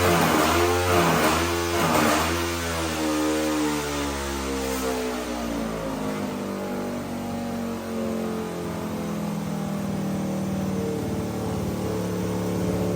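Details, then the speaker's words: 500cc mini bike after carburetor tuning with new stainless exhaust and high-flow muffler; revs climb then fall slowly and hang above idle, not revving out fully, owner suspects lean running; baffle then blew out. "so revs and Idols it just has some major rev hand and it doesn't rev all the way out yet"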